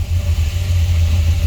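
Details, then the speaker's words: 1968 Chrysler Newport Custom V8 with a new Holley Sniper EFI, oil pan just redone, first start since 2013. A deep, steady, even low rumble with no ticking or knocking and oil pressure up: a smooth, healthy idle. "there it is got some oil pressure make sure we don't have any massive leaks"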